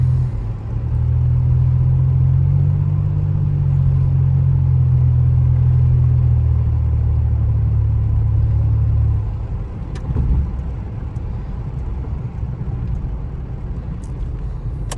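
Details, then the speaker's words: 1985 Pontiac 6000 wagon with a swapped 3800 supercharged V6, driven after replacing fuel injectors. The engine no longer misfires when accelerating. An abrupt drop in tone near nine seconds is the automatic's usual goofy shift, which the owner says is normal for it. "Never mind the transmission that sounds like it's shifting goofy. That's just what it does."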